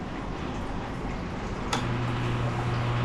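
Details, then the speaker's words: Ice Air PTAC unit that keeps tripping its breaker, restarted after re-crimping a wire: a click, then a loud steady low hum with no run-up, drawing 39 amps and smoking, a compressor with a locked rotor. "39 amps. This thing's going to explode. Turn that off before it does. Oo, this thing is smoking."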